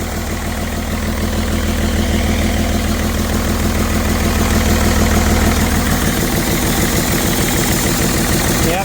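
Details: BMW 330d M57 diesel, down on a couple of cylinders with blow-by, oil in the intake, smoking: loud heavy uneven chugging idle, labouring; rough idle from failed turbo and melted pistons.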